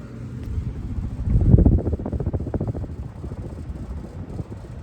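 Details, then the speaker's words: Menards Emperor ceiling fan, reinstalled to cure death wobble, drawing 80.4 W: uneven loose clatter about three or four knocks a second over fan hum; rattle from loose canopy screws, owner had also suspected bearings. "it quiets out pretty quick though which also makes me wonder if something's vibrating not 100% sure"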